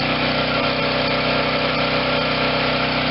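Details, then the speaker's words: 2014 Wen 4050 generator with new carburetor, running a space heater, engine speed slightly high; steady even drone with no surging or hunting, smooth, sounds brand new, carburetor needs no adjustment. "okay so we got an engine that sounds like a brand new one runs smoothly no surging even under no load which means i don't have to adjust the carburetor at all"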